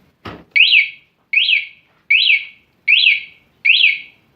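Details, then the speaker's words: Honda Vario 125 eSP 2018 with an aftermarket remote alarm: locked with the padlock button, then bumped, it sounds five even, high, shrill warbling chirps about once a second. Motorcycle alarm triggered. "Saat lock, motor senggol akan bunyi."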